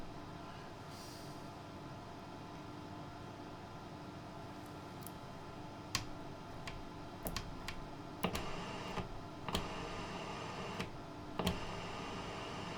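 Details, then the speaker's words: Grundig Transistor 1005 Automatic (Concert Boy) radio, made 1970–72, powered up to 220 V on a dim bulb tester: steady low hum far too loud under handling clicks, cause not yet known. "I'm not quite sure why it's humming quite so loud"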